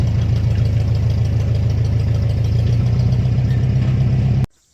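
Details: Broken-off muffler on the 504 tractor: the tube snapped off the manifold, leaving the exhaust wide open. Heavy, deep unmuffled bark at a steady slow idle, all low rumble. Loud exhaust from broken muffler.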